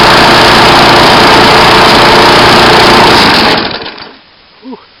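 A loud, steady, even engine roar holds for about three seconds and then dies away cleanly; the mower is running normally on fuel.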